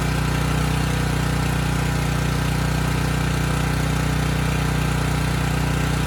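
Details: Briggs & Stratton Storm Responder generator (model 030430-00, engine 21T212-0116-G1), previously stuck at TDC with fuel-flooded oil, final test after repair: steady even low drone with no misses or knocks; governor raised to 61.5 Hz, loaded to 3000 W and holding 60 Hz.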